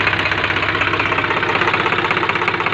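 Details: Swaraj 735 tractor diesel restarted after repairing a piston seized from overheating: fast, even clatter at steady idle with no knock or misses; engine sounds healthy.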